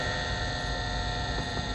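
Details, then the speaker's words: Creality CR-10 S5 with a swapped replacement power supply set to 110 V, at first power-up: steady constant hum with a thin unwavering whine from the supply's cooling fan spinning normally. "that's what it was you hear that fan whining"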